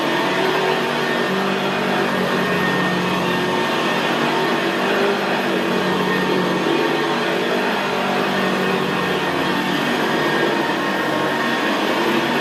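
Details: 1975 Hoover Senior Ranger U4002 vintage upright vacuum in use on carpet: steady, even, quiet motor hum with a low gravelly growl from the brushroll, a growl typical of the Ranger. Normal, healthy running.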